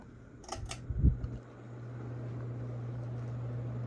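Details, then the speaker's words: Casablanca Lady Delta ceiling fan, newly installed over a bed, switched to high: steady low hum holding even with no ticking or wobble, only very slight bearing noise; a quiet, strong-moving, healthy fan at high speed. "Wow. This thing is kicking ass. This is incredible."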